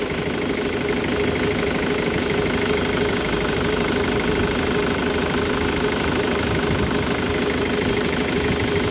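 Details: Ford Mondeo diesel with Delphi injectors after injector repair, idling during a return-flow test: steady, even clatter with no misses, engine settled and running normally.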